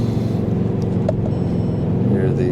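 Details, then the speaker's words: Mercedes ML with the AMG M156 V8 and a muffler delete, on a test drive under power after an intake manifold repair with new injectors, seals and breather valves and the codes cleared. A deep V8 drone with crackles, pops and backfires off throttle; it runs great. "the crackles and pops and the backfires. Of course, my car came with a muffler delete, so that's why it sounds so nice."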